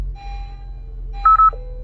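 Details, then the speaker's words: 2021 Honda HR-V after a dead battery was replaced: two quick high chimes, then a lower tone at start-up. The head unit fails to detect the steering wheel switches, so the steering switch must be programmed. "it's gonna be detecting steering switch um it's gonna detect it and it's not gonna it's gonna turn red it's not gonna detect it"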